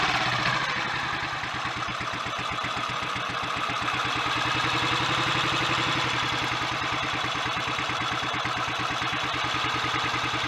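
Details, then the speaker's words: Royal Enfield 500 single, head just refitted with Redditch S cams, inlet cam retarded one tooth, 230 main jet, pilot screw being adjusted: slow regular thump about three to four beats a second, no knocks; normal idle. "Well, it sounds good mechanically, but that won't really tell us how it's going to go on the road."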